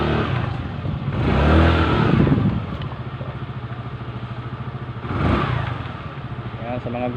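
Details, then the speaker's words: Yamaha Mio MX i 125 scooter after top-end overhaul: two smooth rev-ups settling to an even idle with no knocking or tapping; the earlier noise is gone. "Ayan po. Wala na yung ingay kanina."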